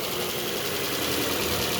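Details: Ford Fiesta that is overheating and misfiring, idling with an unsteady, lumpy hiss and faint irregular knocks; rough misfire at idle, cause unclear.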